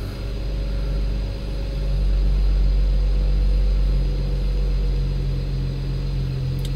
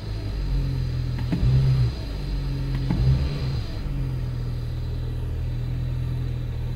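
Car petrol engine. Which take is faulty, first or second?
first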